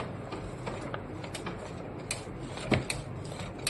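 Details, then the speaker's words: Canon Maxify GX4070 automatic document feeder, about a year old, makes light, uneven mechanical clicks from its paper detector at startup but no confirming beep; it fails to detect the loaded A4 sheet for 8–16 minutes after power-on. "You can hear the paper being uh the the clicking sound of the paper detector, but no beep. No beep at all."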